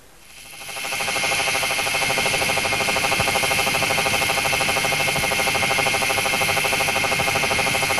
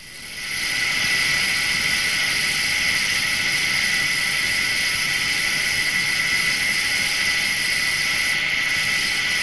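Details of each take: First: SKF electronic stethoscope on a 60309 deep groove ball bearing at 2,000 rpm under 20,000 N load: uneven, lower-frequency knocks about three per second over a hiss, from a damaged ball. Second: Undamaged 60309 deep groove ball bearing at 2,000 rpm under 20,000 N load, recorded with electronic stethoscope: smooth even hiss with no clicks or knocks; healthy bearing.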